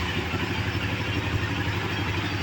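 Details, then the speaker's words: Honda CB Twister fuel-injected single, a later day after fixing fuel-pump noise at injection (common on hot days): smooth, even single-cylinder idle putter with no hunting or oscillation; noise gone, injecting normally, running healthy. "a moto tá funcionando perfeitamente graças a Deus parou né o o barulho agora ó injeta normal bateu pegou também não f tá vendo ó não fica oscilando perfeito"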